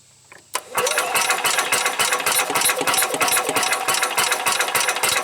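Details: 1990 Club Car engine cranked on a larger deep-cycle battery: the starter clicks in, then a fast uneven chuffing crank of three to four beats a second that gets a little faster, but it never catches; cranks but no start.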